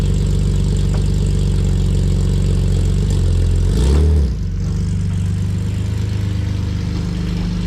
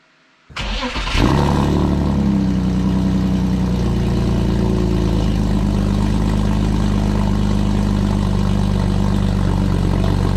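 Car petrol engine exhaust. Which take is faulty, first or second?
second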